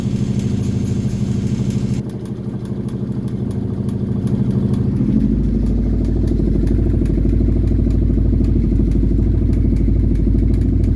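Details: Kawasaki Brute Force 750 V-twin ATV engine idling and revving with a clattering tick that comes and goes; teardown found a blown crankshaft bearing.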